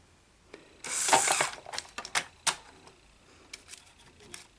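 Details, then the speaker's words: Sony SL-HFR70 Betamax deck, gummed solenoid already freed by cleaning, fast rewind pressed: bursts of dry clicking and chattering as the transport starts and then fails to rewind; mechanism struggling and likely to chew tape. "So when we hit eject, so let's hit rewind and see if we have fast rewind, which we do not. You hear that? You see that, guys? You see how it wouldn't rewind? It starts to, and then it can't."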